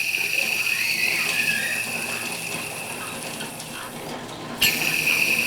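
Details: High-mileage belt-drive pulley (alternator drive) at idle: steady high-pitched squeal with gritty chirping, sounds dry; worn pulley bearing, should be replaced.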